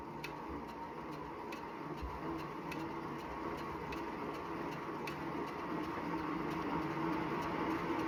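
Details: Wahoo Bike Shift trainer after 379 km: light, regular ticking rub about three or four times a second over a quiet hum with every full pedal stroke; belt rubbing suspected, warranty claim, source not found.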